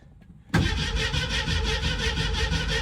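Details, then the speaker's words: 1967 Ford Mustang, originally a 289 car and now fitted with a 302, sat in a barn since 2008, about six gallons of fuel just added: starter spins the engine at a steady, rapid rhythm but it never fires. Fuel is suspected not yet reaching the engine. "I know it's going to take a little bit to get fuel up there. Hopefully, we're pumping fuel. I put about six more gallons in."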